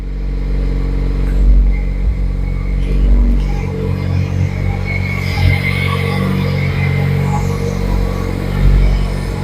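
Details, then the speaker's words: VW Mk1 Rabbit with a 1.4T engine swap and a Mk4 fuel pump in the Mk1 tank, after fixing the fuel pump pulsing: steady, even low rumble with no misses or stumbles. The pump no longer pulses and the engine runs normally. "but there we go it doesn't pulse anymore loads right up with uh with [Music] that there we go"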